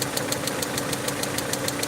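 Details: Peugeot 307 2.0i at idle after vacuum leak fix: sharp, even ticks about six per second from the top end; owner suspects a broken rocker/valvetrain part inside the head and plans to remove the head.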